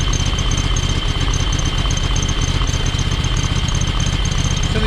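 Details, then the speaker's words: John Deere X585 lawn tractor idling rough with an uneven, lumpy beat and intermittent intake popping. Pulling the plugs shows it runs on one cylinder. Both spark plugs seem fine, and the owner suspects the valves need adjusting. "You know, the fact that you can pull the plugs and it runs on, clearly runs on one cylinder. And that popping that you hear"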